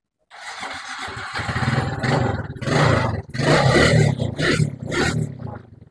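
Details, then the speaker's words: Suzuki Smash motorcycle after carburettor service and new spark plug, restarted with air filter refitted but air screw not yet set: small single idles unevenly with surges and dips; uneven idle before adjustment. "Oke sudah nyala tapi ini belum Setel ya ini perlu kita setel untuk anginnya"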